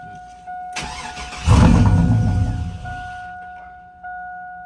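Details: 2001 Chevrolet Silverado that wouldn't start one morning; fuel pump replaced a year ago, low voltage noted, gas added. It catches with a brief roar, then dies within two seconds. Owners suspect the security system is shutting it off.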